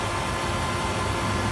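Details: Hayward pool heater after DIY repair of a defective bypass assembly that had caused banging and clanging: steady, even burner roar with no banging or clanging throughout; heater running normally.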